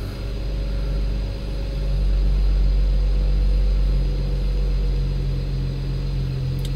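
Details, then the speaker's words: BMW N54 petrol engine idling after home-method carbon cleaning of the valves: steady low rumble with a soft airy hiss because the intake is not fully reassembled; secondary air pumps running. "Tam jeszcze nie jest dolot do końca złożony, więc słychać szumienie, ale..."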